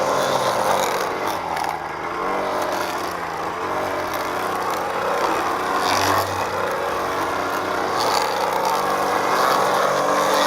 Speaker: Thank you for joining me on this unboxing, assembly, and test run of the Ryobi full crank 2-cycle expanded 2-string gas trimmer.